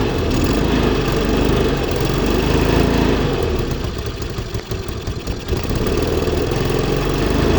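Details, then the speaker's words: Zip 125 scooter with hard starting: a rough idle rising and sagging, nearly dying. The mechanic diagnoses a vacuum leak at the intake manifold insulator. "Ang problema lang sa kanya taas baba ang menor tsaka ano papatay-patay hard start."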